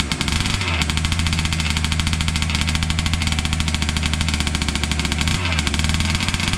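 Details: Losi 5T 2.0 RC two-stroke on a workbench, on VP fuel after sitting about four to six months: buzzes at a steady, even pitch with no misses or stumbles; running clean.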